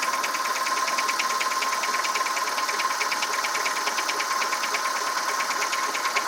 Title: Engine noise (piston slap)